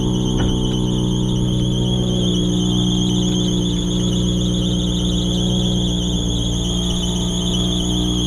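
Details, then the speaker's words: Nissan 350Z (300 hp), just after startup with clutch in: steady high squeal over smooth idle, holding pitch and continuing, from the front of the engine; owner suspects a belt, possibly slipping belt or dry idler bearing, unconfirmed. "I think it's that belt right there. I don't know. I can't tell. But like recently, every time I start the car, it's been doing that."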